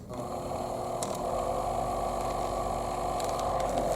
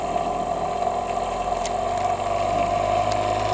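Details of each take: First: Old Thumper Mini Pro 2 massager, unused about 10 years, after disassembly, silicone lubrication and pin repair of noisy vibration: steady, even mid-pitched buzz without rattle or knocking; running smoothly. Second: Thumper Mini Pro 2 massager that sat perhaps 10–20 years, just repaired and lubricated, running on setting 2: loud fast buzzing hammer with a rough, uneven rattle. The cover is loose and chattering; it sounds out of control.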